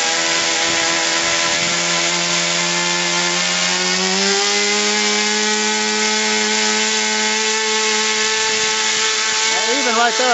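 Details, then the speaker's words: RC airplane engine at wide-open throttle: steady high buzz that jumps up to a double pitch, high and low, with a thin, screaming note; the mixture is too lean, so the needle is backed off. "have a double pitch now that's lean I'm going back it off a little"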